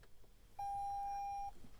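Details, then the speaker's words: 2022 Toyota Sienna Hybrid with dead key fob battery, "Key Not Detected" shown; fob touched to power button: one clean mid-pitch beep about a second in quiet cabin as ignition switches on. "then I'm going to touch the key fob to the power button and you'll hear a beep and it puts the ignition in the on position"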